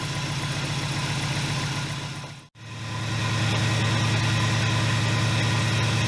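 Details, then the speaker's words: 1981 Buick LeSabre with 307 Olds V8 (200 transmission, slipping) runs lumpy and uneven at idle, pulsing about three times a second, still rough after battery reinstalled; owner suspects a vacuum leak somewhere. "nope still sounds like a beast all right well let's see where we go from here"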